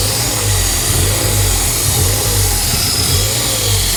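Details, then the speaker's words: Ford Fiesta ST180 first start: raised, slightly hunting idle with a throaty rumble and loud rushing air, from a completely snapped-off inlet manifold pipe fitting causing a big air leak. "that massive amount of noise of air is coming from where our torch now where's my torch I don't know where massages anyway that there's a pipe fitting that pipe there well you see it's completely snapped off that is what we're hearing all that noise on air fo"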